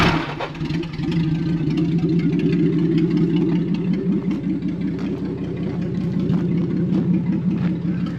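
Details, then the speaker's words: 1949 Chrysler after fixing a misplaced points spring that let points float near 2,000 rpm: starts, idles evenly, revs cleanly and returns right to idle; healthy. "that sounds pretty yeah it goes right back to idle with no problems"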